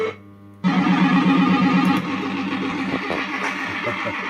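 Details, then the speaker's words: System80 machine with socketed 3-voice sound chip, warmed up: tune plays with rough crackling hiss over every tone, notes muddy and one voice missing; distorted sound output, owner suspects failing sound chip. "Look at this, sounds really crackly, doesn't it?"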